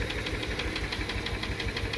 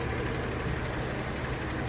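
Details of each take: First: Subaru Tribeca 3.0 with a metallic engine knock, possibly bearing wear, during an on-site hydrogen carbon cleaning. A sharp, regular metallic tapping at about eight per second rides over the idle; the knock began fading after about 15 minutes. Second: Стук ушел. Двигатель работает мягко, четко.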